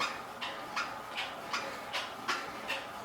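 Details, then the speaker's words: Used Keiser M3i indoor cycling bike in gear 16 at about 80 rpm cadence and 210–225 W: sharp high chirp once per pedal stroke, about 79 per minute, over a quiet background; owner blames squeaky pedals. "Man, some squeaky pedals."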